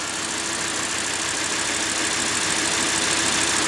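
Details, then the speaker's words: Audi R8 V10 idling hot after retainer replacement, microphone held close to the engine: smooth, even hum with no squeak or ticking; noise previously appeared when warm. "자, 지금 리테이너를 교환하고 엔진에서 소음이 안 나는 거를 들을 수 있습니다."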